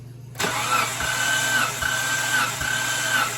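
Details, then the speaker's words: 2003 Mitsubishi Montero compression test while cranking without firing. The starter whirs with slow, even compression beats; readings are about 140, 145, 155, 160, 160 and 150: normal, even compression. "go ahead and crank until I yell stop stop all right so that's that's at like 140"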